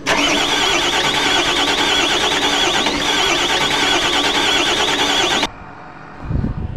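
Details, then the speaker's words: Volvo wheel-type backhoe diesel cranks steadily, about three compressions a second, but never fires. High-pressure line testing found weak fuel delivery; replacing the failed fuel pressure pump got it running. "may aayusin na naman po tayong bakho ngayon kasi nag-ring lang siya pero hindi siya"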